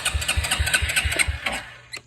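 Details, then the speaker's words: Suzuki King Quad 300, oil level about halfway and a little black, cranked before checking spark and carburetor; strong, even compression pulses about six per second, turning over freely but never firing. "Perfect all right well that's great Good Start anyway uh so next we're going to check for spark"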